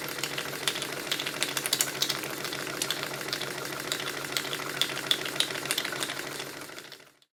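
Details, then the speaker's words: Stuart triple-expansion model steam engine on live steam with warm cylinders: quick, even light ticking of about three per second over a soft hiss. This is the vacuum pump and water pump working normally. "The strange clicking noises that you can hear are from the vacuum pump and the water pump."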